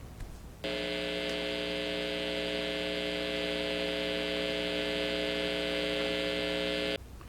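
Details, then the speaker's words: Fender Blues Junior IV tube amp, all tubes replaced after a bad power tube blew the fuse: a loud, steady buzzing hum with stacked even tones starts 10–20 seconds after power-on and holds until shut off, caused by a resistor fried by the failed power tube; before repair. "now however what i didn't know was because the resistor had been fried when i would turn on the amp this yielded a very loud hum or buzz like 10 to 20 seconds after i would turn it on"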